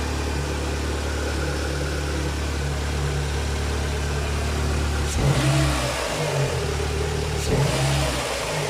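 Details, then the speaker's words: Renault Clio 2 1.6 16v 107hp with new exhaust manifold and intake, exhaust line not yet fitted; steady idle then two quick clean blips rising and falling smoothly, no rattle or misfire; healthy engine, sound impeccable. "Donc comme je disais, le bruit. Franchement, impeccable."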